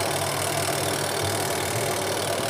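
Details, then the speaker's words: AQUA QW-781 XT twin-tub washing machine spin dryer: smooth, even mid-pitched whir with no knocking or scraping, brakes when lid lifted and resumes when closed; normal spin cycle. "ketika kita tutup dia kembali berjalan suaranya lembut ya"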